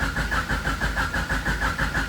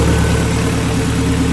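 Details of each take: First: H22-swapped EG Honda Civic, first start attempt after new shifter cables were fitted: even cranking at about three beats a second that never catches, and fuel is smelled. A crank, no start because the fuel pump gets no power; a ground fault is suspected. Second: Honda Civic with H22 engine, running after new shifter cables were fitted: smooth, even low idle with a steady deep throb and no knocks or misses; normal idle.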